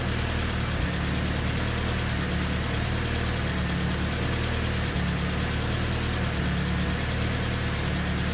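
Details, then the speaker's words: Honda D16Y8 engine after valve lash was adjusted to spec, not fully warmed: low, uneven idle with a loud ticking throughout; the owner suspects the injectors. Engine ticking at idle. "I mean, it's still ticking quite loud. Could very well just be the injectors."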